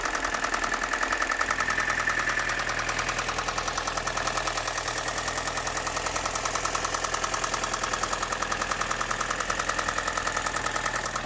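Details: BMW M42 petrol engine idling with a fast, steady knock riding over its running sound; owner asks for help identifying the engine knocking at idle.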